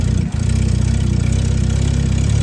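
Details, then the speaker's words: Hillman Minx first start: catches quickly and effortlessly, settling into an even, steady idle with regular firing pulses and no misses or knocks. Normal start and idle. "Oh, that is so cool. It runs, and it was effortless. Can you believe that?"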